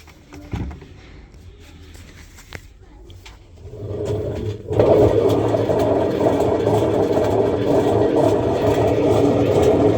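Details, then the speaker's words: Samsung washing machine: quiet, then the drum starts with a loud, steady low rumble that stays heavy; drum noise, suspected faulty bearings, unconfirmed. "Then it's making a lot of noise. The drum is noisy."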